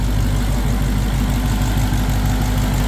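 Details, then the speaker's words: Dodge Charger Hellcat, engine idling before oil check: deep, even V8 idle with smooth steady "sewing machine" beat, no ticks or knocks; normal idle, engine sounds healthy. "Another thing you like to do is kind of just listen to that engine. It has that sewing machine noise to it."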